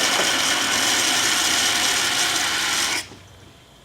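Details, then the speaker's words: Water from a pressurised tank released through a venturi: loud hissing crackle like gravel rushing through a pipe from cavitation shock waves, stopping abruptly after about three seconds as flow stops. "in many cases where cavitation is occurring you can even hear these shock wave which sound like gravel moving through a pipe"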